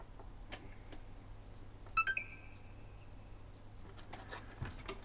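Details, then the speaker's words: Corroded Xbox One S with destroyed HDMI port, a beep-on-beep-off fault: one short power-on beep, then only room noise, no fan spin-up, no lights. Console does not power up; cause unconfirmed. "a beep and nothing no lights no nothing"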